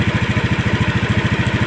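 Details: Honda Scoopy scooter with idling stop system, idle adjusted up to 1600 rpm; quick, even putter at about eleven beats a second holding steady with no stumble, a healthy stable idle.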